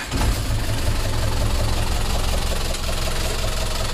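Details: Diesel box lorry that suddenly started knocking while carrying a load; idling with heavy low rumble and a repeating knock over the engine beat, checked before considering a general overhaul.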